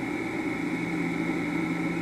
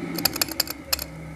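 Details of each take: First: Vintage electric motor with start capacitor and potential relay, rated 220 V but run on 120 V, drawing 0.7 A: steady motor hum with a fixed mid tone, higher whine and faint rough hiss; worn, tired motor bearings. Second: Vintage Westinghouse machine tool motor with tired-sounding bearings, switched off: its potential start relay kicks back in and cycles, giving about seven quick crisp clicks within a second, then quiet; normal behaviour for this setup.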